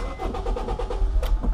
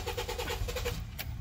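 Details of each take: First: 2007 Honda Fit, previously a no-start, after its fuel pump module was replaced: a brisk crank of about two seconds, then the engine catches cleanly and settles into a steady, even idle, a normal start. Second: 2007 Honda Fit crank-no-start: the starter spins the engine at an even, fast chug for about a second without catching; bad fuel pump module. Relay and fuse were good, and the starter was first suspected.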